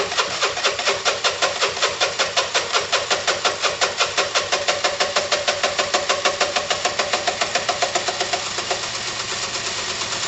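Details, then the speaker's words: Dumped Piaggio Typhoon 125 scooter, first start attempt after only a spark plug change, coil wired directly: sharp regular beats about five a second over a thin, rattly rough idle; seems fuel-starved, cause unconfirmed. "it's so so close it's so weird hi maybe a spray come on [Music] [Music] so [Music] it's practically practically starving come on"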